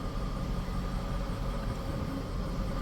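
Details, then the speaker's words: 2007 Scion tC, 5-speed manual, about 125,194 miles, customer complains of clicking and ticking; at idle a low rough grinding growl that does not change when the clutch is pressed. "I hear like a grindy type noise but here's the thing I hit the clutch it doesn't change"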